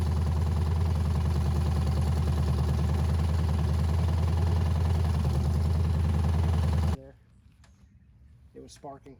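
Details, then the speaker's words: Abandoned 350 small-block V8 from a 1985 K5 Jimmy, first run after sitting for years. Engine and transmission are in the bare frame, with a manual oil pressure gauge fitted and about 25 lbs reported. Loud, deep, even burble through open pipes with no lifter ticking or knocking; normal idle. A gas leak was noticed. "it didn't sound like any of the lifters were knocking or anything I was trying not to run it too long"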